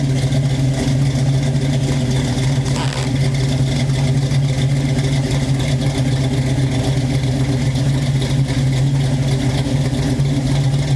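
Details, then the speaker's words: Chevrolet Nova with fuel injection, after lifter repair, first start since the previous night: deep, even idle with steady low rumble, no top-end ticking; runs smooth, a few exhaust leaks present. "I'm going to start the car for you though so you get to hear it there's a few exhaust leaks so pay no attention to that"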